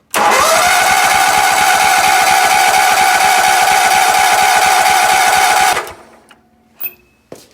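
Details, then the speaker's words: Sears ST/16 garden tractor, long-stored hoarder find with cut fuel line; even starter cranking about 3.5 beats per second with whining drone but never fires; crank no start, owner suspects bad fuel pump. "so i think we've got a bad fuel pump that's probably why they got that line cut"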